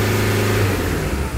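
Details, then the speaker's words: Toyota Fortuner engine, previously knocking, smoking white, hard starting and losing pickup, now after repair revs cleanly and settles back to a smooth, even idle with no knocking; runs healthy. "हमारी गाड़ी पुरी तरह से race भी हो रही है और हमारा जो लॉकिंग का प्रॉब्लम देखिए वह भी नहीं ए रहा है"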